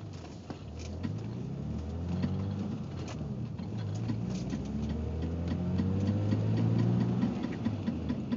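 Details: BMW 325ix: light, fairly even ticking a bit over three per second above a steady running engine; source of the clicking unknown.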